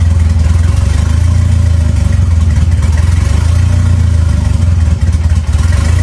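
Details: 2.3L turbo four Lima-swapped into Smokey on PIMPX batch-fire engine management, warming up for base timing check; firm, even note with steady pulsing and small rev blips; normal running.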